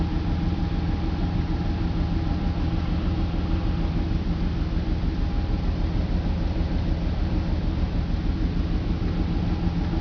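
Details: BMW 325 M54 petrol engine on cold start, idling low and uneven with a lumpy pulse about twice a second; misfires logged on cylinders 3, 5, sometimes 4, stopping once warm. Crankcase valve, plugs, coils, fuel filter replaced, injectors cleaned.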